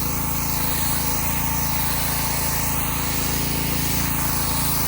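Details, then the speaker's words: Subaru EA190V pressure washer, previously non-running and now repaired: a steady small-engine drone under pump load at definite high pressure, no surging. Normal healthy running under load. "hard to tell how clean it's getting but it's definitely high pressure"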